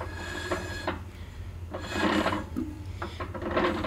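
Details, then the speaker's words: 1964 Ford 4000 tractor, brake drum turned by hand out of gear after shoe install and adjustment: soft scratchy rasp catching and releasing about every second; light, even shoe drag, correctly adjusted. "okay so that's what the sound you're wanting to hear that kind of scratchy draggy type sound and you want you want to hear that but you don't want it so tight you can't turn it because that's going to burn your brakes up"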